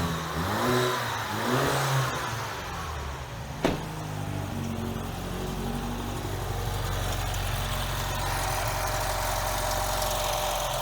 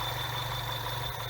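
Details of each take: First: BMW 116/316 engine after repair of a belt-like whistle from the engine: cranks, catches and settles into a steady, even idle with no whistle or hiss. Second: BMW 116/316 petrol engine idling and revved: steady high-pitched whistle like a slipping belt from inside engine, traced to torn PCV valve diaphragm (vacuum leak); cheap easy fix.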